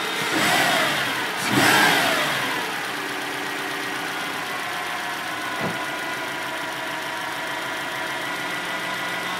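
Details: Stock 2006 Subaru STI cold start at 16°C outside: a loud steady whine over idle that grows louder and faster with rpm and louder when the steering wheel is turned. It went away after about 15 minutes of driving. Cause unknown.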